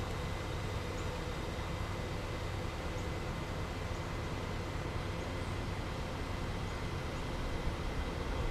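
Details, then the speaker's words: 2005 Porsche Cayenne Turbo air suspension compressor running while adjusting ride height, at lowest setting: steady even electric buzz over a low hum, no knocks or surges; normal compressor operation. "So that was the operation of the uh air suspension and you can hear the compressor going."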